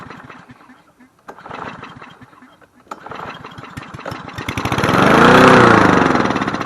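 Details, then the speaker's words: Cub Cadet SC 300 HW (12ABB22J709) mower: quick even firing swells to a fast race instead of settling to idle; choke linkage sticking to throttle, fixed by bending it out, carburetor also cleaned. "choke linkage was sticking to that throttle and is making it over rub I bent it out and it was okay"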